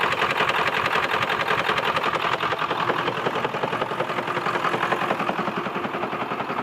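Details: 2002 Ford F-450 7.3 Powerstroke diesel at idle: steady even knock about two and a half per second over clattery idle; owner suspects a bad injector, not confirmed.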